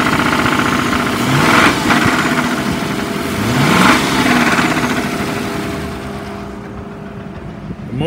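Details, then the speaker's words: 2007 Ford Crown Victoria Police Interceptor with automatic transmission, revved: a steady, loud knock that grows faster and louder with rpm, though it idles smoothly. Seller suspects the bottom end of the engine; not confirmed. "is very responsive and it idles pretty smooth and it revs up pretty good but it has a loud knock and i am not a mechanic but it sounds like it's coming from the bottom that's just my opinion being sold as a bad motor"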